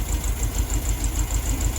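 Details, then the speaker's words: 1972 VW Beetle 1200, first start in about two years, choke on, cold idle: lumpy, uneven beat with one pulse missing, not firing on all four, cause not yet found; misfire at idle. "but it's definitely not on all four so uh we'll let it run a little bit let it warm up and then uh we'll see if we can figure that out"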